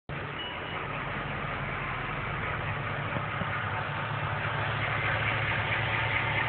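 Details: Ford BA XR8 with BOSS 260 5.4 L V8 at 56,000 km, warm idle: quick, uneven ticking and clacking from the top end, present only when warm since 49,000 km; owner attributes it to the 03/04 head defect, narrow cooling passages warping and wearing valve guides on both banks, LH worse.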